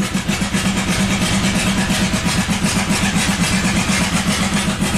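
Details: 1997 Buick Century 3.1 V6 at full throttle with the oil light on: a ragged, stumbling chuff at about four a second, firing on one or two cylinders. Severe misfire from collapsed lifters, no oil pressure.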